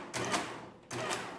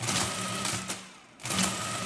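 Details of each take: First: Early Marchant Silent Speed 10M mechanical calculator multiplication attempt: short bursts of rapid gear clatter stopping and restarting unevenly, multiplication not working; owner suspects a stuck adjuster or sticky parts. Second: Early Marchant Silent Speed 10M mechanical calculator, case off, during a drivetrain demonstration: a fast clattering mechanical whirr in bursts about a second and a half long with short gaps, as the gears and clutch cycle cleanly; normal operation.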